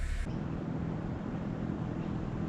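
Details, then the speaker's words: Daikin Cora split AC outdoor units set in a house brick wall, all three running full blast: steady, even fan whoosh with a low, smooth hum and no rattle, vibration or throb; normal running. "they're all three running full blast this is all the noise you get"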